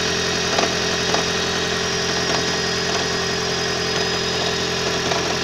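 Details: 2012 Toyota Prius 1.8 facelift, 32,000 km: faint, irregular light knocks roughly twice a second over a steady engine hum; knocking and vibration, cause not yet known.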